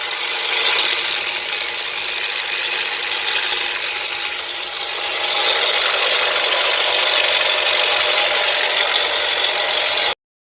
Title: 2010 NISSAN SENTRA WHAT A BAD TIMING CHAIN GUIDE SOUNDS LIKE- Rattling/FLAPPING Engine Noise